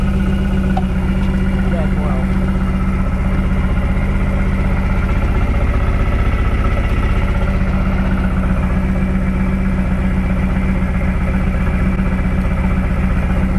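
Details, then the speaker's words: 1999 Lotus Esprit V8 at steady low idle with a regular lumpy stumble, audibly missing after ECU coil drivers were swapped; misfire persists on two cylinders with no spark, traced to an ECU fault. "seems to run okay now oh i can hear it i hear it missing there we go all right so now we're on a cylinder that had no spark before"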